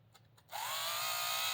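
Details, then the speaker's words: Un-shimmed HO Viper slot car rear end: a high, buzzy whine climbs as the motor spins up, with a coarse rasp over it; sloppy gear mesh from the loose rear end. "See, that's gear mesh all happening. It sounds like crap. And look at that. That's all loose."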